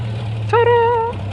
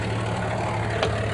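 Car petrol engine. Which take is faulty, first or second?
second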